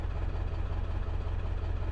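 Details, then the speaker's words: Ford 7.3 Powerstroke diesel with a rough-idle problem, just restarted after a rough start with smoke: a deep clatter at idle whose loudness slowly swells and eases instead of holding steady. The idle is hunting. "all right we're alive a little pop of smoke there oh a little idle search"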